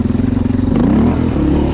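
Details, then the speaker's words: 2011 Honda XR650L after a top-end repair for a tapping noise, having sat about two years: a crisp single-cylinder thump that picks up cleanly on a throttle blip, with no tapping or clatter. It now runs well. "it's all right yeah that does sound pretty good"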